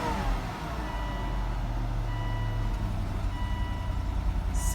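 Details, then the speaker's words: 2007 Volvo XC90 V8 AWD, 200k miles, check engine light and transmission warning on: idle has an uneven, lumpy beat with dropped pulses; engine misfire at idle. "like it has a Miss it sure does sounds like it has a mess"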